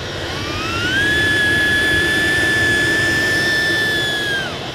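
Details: Chinese 2 kW diesel air heater run to maximum 5 Hz pump pulse rate, drawing about 2 A: steady high whine ramps up, holds an even pitch several seconds, then spins down; healthy at full output.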